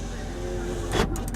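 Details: 1994 Ford F-150, 178k miles, warmed up and idling: low, even whir with no grinding or binding; power window working normally.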